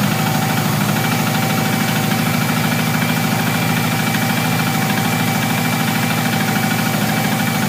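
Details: Subaru Impreza, naturally aspirated and mechanically tuned, likely overboosted during hard driving: a deep, uneven knock at about two to three beats a second over idle. Owner suspects a bottom-end rod knock or a bent rod, not confirmed.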